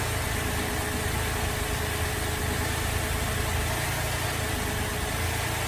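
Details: Holden VZ Adventra with Alloytec V6 at idle, running very rough: steady but lumpy, uneven idle with a shaky low beat; coils were unplugged one at a time, showing a misfire from the failed number 5 coil pack.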